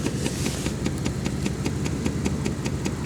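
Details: Jeep Grand Cherokee ZJ run warm after driving, at idle: a crisp, regular light tick of about two and a half per second over a smooth idle, traced to the evap purge valve, which is then replaced; owner thinks it is harmless.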